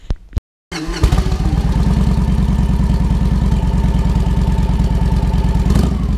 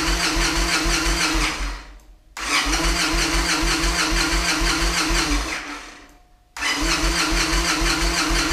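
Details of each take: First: Victory Vegas Jackpot V-twin after fuel pump replacement: fires straight up and settles into a steady, even loping idle with no misses. Running normally. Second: Victory Vegas Jackpot on a chilly day, new fuel pump just installed and primed: two bursts of fast, even starter cranking at about three turns a second, no catch, same fault as before. Crank-no-start.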